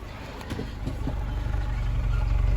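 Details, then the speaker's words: Honda City on CNG/gas, after replacing one leaking injector that made it stall on gas: in gear D with brake held, deep even rumble firms slightly, no stumble or shake; smooth normal idle under load. "เกียร์เบรคเครื่องก็ยังนิ่งอยู่ก็โอเคนะโอเคใช้ได้ครับผม"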